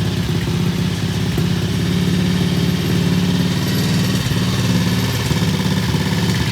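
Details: Vintage British T20M single-cylinder motorcycle, on its first good start after ignition or carburettor changes: a steady, quick idle with even low beats and no misses or knocks. It is healthy, with the idle set high because of its EP system.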